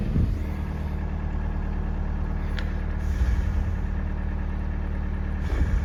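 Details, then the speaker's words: VW TDI diesel just after installing an electric lift pump with a relay: smooth, even diesel clatter at steady low idle with no misses or knocks, healthy idle; seems to start quicker now. "this idling sounds good"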